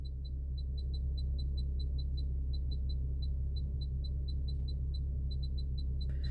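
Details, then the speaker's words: 2015 Infiniti Q50 AWD Premium, after SD card fix for "now loading all apps": quick uneven high chirps over a low hum only when the 360 camera view is selected; chirping noise on camera view. "So, I got these the 360, but yeah, it just makes that little chirping noise. Doesn't do it any other time."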